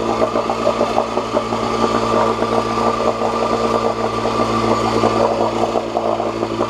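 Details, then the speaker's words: 1986 Johnson J4BRHCDE 4 hp Seahorse two-stroke outboard, stored for years, previously overheating, test-run in water after cleaning water passages: steady even buzz at constant speed, no misses or knocks; about 5 minutes in, a little hot; small known carburetor leak; running healthy. "works good. There's a little leak on the carburetor, but I know about that."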